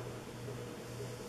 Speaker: uh audiable humming sound too but still I find it very very cool the way it's made very unique